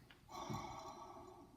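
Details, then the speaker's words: Lexus tensioner pulley, removed as replaced: rough steady whirring squeal as the pulley is spun, slowly fading; worn tensioner pulley bearing that was causing other annoying noises in the car. "But I did replace a tensioner pulley on there. This thing was pretty bad."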